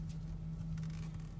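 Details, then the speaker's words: Engine running while the steering wheel is turned lock to lock to bleed the power steering, which has no bleeder valve: a steady whine from the pump due to air in the lines. "then still hear a little bit of a whining noise as we're getting that air out of there and a lot of times when you do hear that whining noise with your power-steering most of the time it's because of air in the lines"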